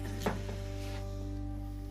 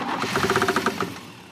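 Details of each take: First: Oldsmobile Cutlass after replacing a failed distributor with another unit and setting timing. Cranks briefly, catches and settles into a steady, even, strong low-rumble idle. Starts and runs cleanly. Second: Cutlass long parked, after makeshift carburetor rebuild, spark confirmed: starter cranks with about nine quick, evenly spaced knocks, roughly eight per second, then dies away; prominent engine knock during cranking, cause unknown.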